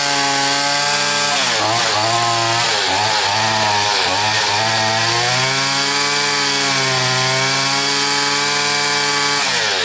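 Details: Stihl FS80 trimmer after carburetor rebuild and ultrasonic cleaning, low-speed screw turned out testing for bog: high buzzy two-stroke wail sags and wobbles instead of holding a clean high note; lacks power at high speed.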